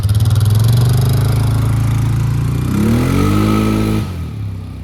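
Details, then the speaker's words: 2002 Polaris Sportsman 500 H.O. ATV after replacing a worn primary clutch, which had let the belt walk, with a Mother Clutcher unit plus a spacing bushing. Revs up cleanly then runs steadily; clutch noise reduced, engages and grabs well. "A little bit of spacing, a new clutch, took some noise away from the clutch. That thing engages and grabs real nice, really nice power transfer."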